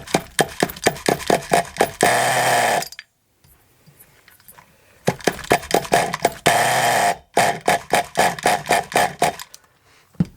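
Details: Scrap Thunder Tiger .28 Pro nitro RC engine, no clutch or bell fitted: bursts into a fast popping run then drops and cuts out, tick-over too low to hold; idle screw needs raising.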